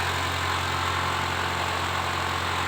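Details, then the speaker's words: Honda Brio small petrol engine idling with a steady, even low hum and no knocks, ticks or roughness; the engine is fine, with the vibration complaint traced to the wheels and suspension. "Kita cek mesinnya coba. Mesinnya aman"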